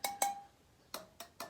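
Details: Yamaha TTR125 wheel spokes tapped with a small wrench to check tension: sharp taps ring out clean at a steady mid pitch, a few at a time, showing the spoke is properly tight, unlike the dead-sounding loose ones.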